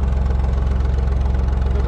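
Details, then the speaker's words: Lister HW3 vintage three-cylinder diesel narrowboat engine, just serviced with valve clearances set, heard running in the background while cruising; slow, even chug of about eleven firing pulses a second, steady with no knocks. Normal running. "it's a three-cylinder engine alistar hw3 as you could hear she's hurried away in the background"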